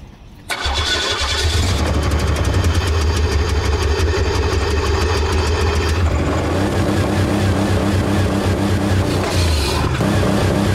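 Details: Pontiac with a blown engine, oil leaked onto the floor, being run with nitrous: short crank then loud, lumpy, uneven idle with a ragged beat; badly damaged engine with no oil pressure.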